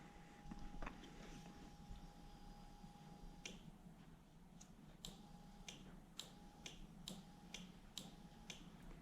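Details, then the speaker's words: 1UZ-FE Toyota V8 conversion with the start relay removed: the fuel pump runs, and the fuel pump relay clicks sharply about twice a second from back-feed in the start circuit wiring. "you can hear there is the fuel pump relay switching on and off"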